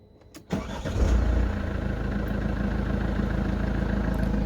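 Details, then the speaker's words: Mercedes W204 with 2.2 OM 651 diesel, after replacing the hydraulic timing chain tensioner (original A 651 050 08 00 64) to cure a chain rattle at start-up: morning cold start catches within half a second, even steady idle, no extra noise. "чертенько ніякого зайвого звуку"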